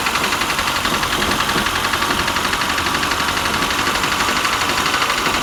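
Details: A project 2002's engine, dormant since about 1987, runs after its first start on a steady, even beat of about four pulses a second. There are no knocks or grinding and it started cranking surprisingly quickly, so running is normal.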